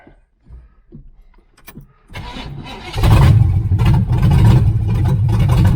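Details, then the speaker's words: 1978 Chevrolet Nova V8 (305 or 350), abandoned 25 years, carburettor from a 76 El Camino, no exhaust fitted: cranking, then a very loud raw bark, lumpy and unsteady; runs rough and had died once; owner suspects timing. "it started up then DED so we'll see what happens it's awful loud no no exhaust"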